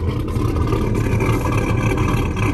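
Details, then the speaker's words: Holley Terminator X–tuned 6.0 V8 swapped Cateye truck: deep idle, a little rough with a lumpy uneven beat, running very rich and needing idle tune work; cleans up when revved, fuel smoke from exhaust, belt chirp also noted. "it's definitely a little rough on the idol it's very rich it needs some serious help on uh on the idle tune"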